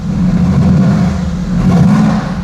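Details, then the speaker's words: Mercedes-AMG GT S, first start-up after installing production VRP stainless turbo manifolds, before dyno: deep, even exhaust roar swelling smoothly with revs and settling back without stumble; deeper roar; normal start-up and rev. "It's like a deeper roar to it."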